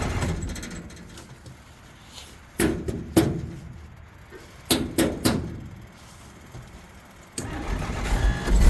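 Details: 1963 Jeep Gladiator, battery possibly low after the key was left in the ignition. Several short cranking bursts with quiet gaps never settle into an idle, a no-start. Owner suspects the electric fuel pump or a broken fuel tank.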